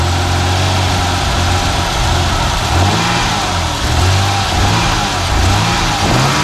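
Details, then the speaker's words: 1990 BMW E34 525i, M20B25 170 hp petrol six, 233,510 km, not roadworthy: low uneven idle seemingly on five cylinders, light revs rise sluggishly with a hole on acceleration; old Bosch idle actuator noted as a problem; rough idle misfire with hesitation. "on peut entendre que ça tourne plutôt bien mais elle tourne quand même sur je dirais 5 cylindres"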